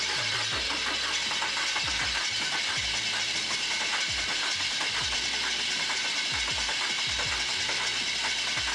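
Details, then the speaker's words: VW TDI diesel in 1950 Willys Wagon on Jeep Wrangler chassis, first start after swap: lumpy, uneven running with irregular heavy thumps under loud hiss; injection pump timing off, later re-timed. "all right got it running it runs rough I think maybe kept adjust the timing but we're gonna fill it up with water so we can run it for a longer period of time but at least it runs"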